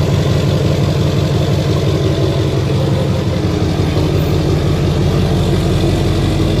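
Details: 2007 Duramax LBZ diesel, tuned and deleted, with 4-inch exhaust, after replacing the up-pipe gaskets that caused a boost/exhaust-leak screech under boost. Smooth, even diesel clatter at idle with no hiss or puffing; normal idle.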